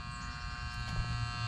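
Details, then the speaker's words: Rheem Classic heat pump not cooling at a foreclosed Florida home, missing fuse: contactor pulled in and buzzing steadily while its contacts have come apart, leaving the unit idle; new system sold. "what i'm looking at is our contactor is pulled in you can hear it buzzing"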